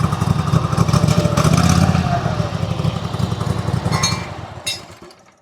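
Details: Small single-cylinder mower engine, governor just adjusted (throttle wide open, governor turned fully clockwise) after incorrect adjustment following replacement: steady high speed with even low thump, then shutdown; normal running.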